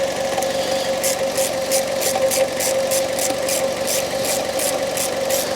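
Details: Fiat 500 / Ford Ka 1.2 8-valve idling just after a new coil pack and plug leads fixed an intermittent misfire. Even idle with a light, steady valve tick and constant hum, no stumble or miss, and no engine light.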